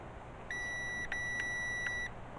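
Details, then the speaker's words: Truck power-window switch removed and continuity-tested: a clean high beep holds, breaks, then resumes steadily as the switch is held, so the switch works; the fault is suspected in the window motor or actuator. "So I'll do a continuity test on it. It's that one there. So check it's working. You can hear it beeping there."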